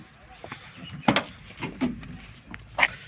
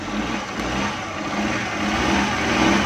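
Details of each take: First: Suzuki Ravi (Bolan) Euro petrol/CNG van, morning no-start after starting on gas: strong, even cranking whir that never catches, starter working, gas present; crank no-start. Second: Suzuki Ravi (Bolan) on petrol/CNG, after a new relay fixed its morning starting problem: engine runs evenly and builds smoothly in revs with no misses, knocks or rattles; normal running.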